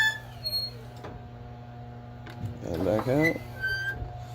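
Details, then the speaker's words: 1996 Kwikee Series 32 RV entry step after gearbox replacement, test run: low motor hum with sharp squeaks from the dry linkage pivots underneath, to be lubed with Teflon dry lube. "you can hear all the squeaking underneath there I'm gonna go through with some some dry lube with Teflon"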